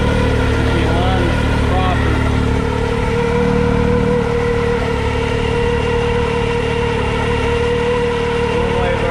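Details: X3 with its CVT clutches back from KWI, belt installed and washers aligned, revved to 3,500 rpm per the instructions: a steady high drone and even belt hum with no slipping or chatter. Normal CVT clutch operation.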